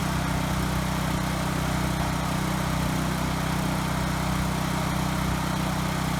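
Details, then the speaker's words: Ryobi RY905500 5500-watt generator after restarting and resetting the tripped GFI: steady, even engine drone with no surging, misses or knocks under its governor; running well, frequency slightly high and to be adjusted. "okay good the Hertz is a little bit high so I'm gonna tweak that a little but it was just the GFI that was tripped thankfully so I'd say this is pretty good"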